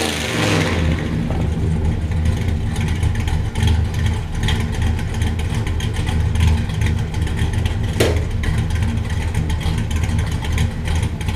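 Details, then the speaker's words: 1967 Buick Special with 415HP small block Chevy 350 and Muncie M21 4-speed, first start after fuel tank dropped, filler brazed and sending unit adjusted: fires, steady run, smooth revs, no misses or knocks; holds fuel pressure, no leaks. Normal start and rev. "And we're good. Still have fuel pressure. Runs good. Doesn't appear to be leaking."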